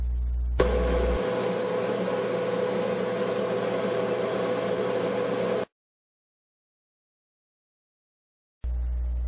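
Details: General Electric dryer test-run after reassembly with new Teflon glides: steady, even drum rumble with a faint constant hum, no thumping, squealing or scraping; normal dryer running.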